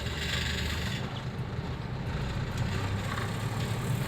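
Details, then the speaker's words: 2009 Toyota Avanza 1.3 after engine decarbon cleaning, previously heavy pull, hard starting, unstable rough rpm; driving in third gear, low even drone pulling steadily under road noise with no stumble or shudder; smooth, healthy acceleration. "langsung tiga mulus semut males ya Nggak nggak banyak Geger langsung keinget gas langsung"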